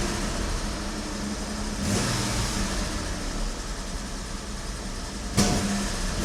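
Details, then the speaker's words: Engine with SU HD8 carburettor just converted from auto to manual choke. It settles at a fast, steady idle with a slight rise midway; idling too high, and the owner suspects the mixture is running rich. "Okay, it has been running quite high. Anyway, I'll get it running for you, and you can hear what I mean."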